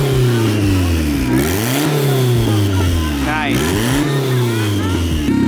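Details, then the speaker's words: Turbo Civic with eBay turbo kit on ethanol, dyno tuning with rev limiter at 6,000, after adding fuel (going to 40%) to fix lean hesitation; sharp blips rise and fall cleanly, revving freely, turbo spooly, clean free revving. "Wow. It sounds like it wants more still though. I'm gonna go to 40. It's revving really well. Like the turbo seems spooly too."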